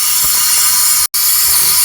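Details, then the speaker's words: American Standard toilet whose Fluidmaster fill valve is not filling the tank after a flush: steady high airy hiss of escaping water; leaking fill valve with a damaged rubber seal, whole valve assembly replaced. "and discovered that um it float or fuel valve is leaking"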